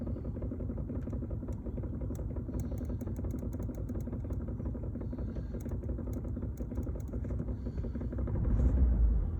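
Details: 2002 Audi A2 1.4 petrol, 98,000 km, serviced regularly: a loose, uneven rattle from the middle of the car floor over a low idle rumble; cause unknown.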